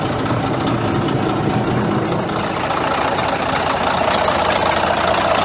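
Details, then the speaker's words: Caterpillar D9G diesel dozer started after sitting about 10 years: uneven chugging idle with a rough knocking beat as the seized alternator drags on the belt and smokes; owner plans to cut the belt. "okay well it does run and as you can see the alternators froze it's where me smokes coming from"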